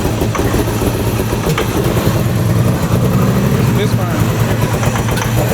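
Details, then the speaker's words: 1997 Ford Mustang GT, V8, 5-speed manual, sat rotting in a field; first start after fuel pump priming runs with a rough, stumbling idle, uneven beat and dropped exhaust pulses: misfire at idle, spark plugs found badly fouled. "It sounds like it's misfiring, but it's running."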